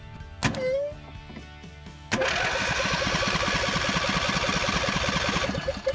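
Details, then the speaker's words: Husqvarna YTH22V46 riding mower, starter cranked by arcing the solenoid because the key gives no power and the hour meter stays dead. Engine spins steadily at three to four beats a second; starter works, suspected blown fuse or bad ignition switch. "so starter works fine but no power is getting to the run circuit"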